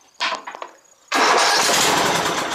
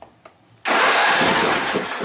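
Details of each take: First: Exmark Viking mower engine after reinstalling forgotten fuel pump pulse line so carburetor gets fuel: catches and runs a couple of seconds on two attempts, sounding healthy; normal start. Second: Exmark Viking mower on its first start attempt at full throttle: quiet, then a sudden steady rush of cranking with clicking and no clean firing rhythm. It cranks but won't start, possibly because fuel isn't reaching the carb yet.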